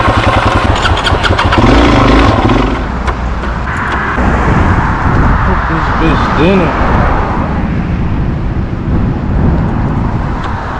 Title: Drz400SM 2022 Died Making Clicking Noise Help Gotta Fix SMH